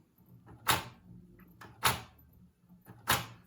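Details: 1970s Brazilian-made Philips GF113 record player (vitrola) under restoration, platter not turning properly. A harsh scraping grind repeats about every 1.2 seconds, once per turn.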